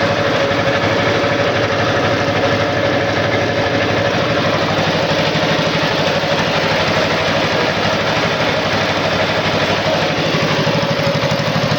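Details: Air-cooled Wisconsin TJD 20 horsepower inline two-cylinder engine powering a tow-behind flail mower; steady, even beat at constant speed, no knocks or misses: normal running.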